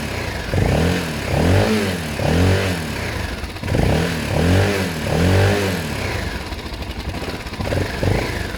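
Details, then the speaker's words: Motorcycle after cleaning the coil wire, fired straight up: clean, crisp throttle blips rising and falling smoothly, firing evenly with no misses or clatter; normal revving. "so I cleaned the the wire on this coil I forgot to do it and it actually fired straight up it was cake obviously that you can hear - goodbye got lovely tones here"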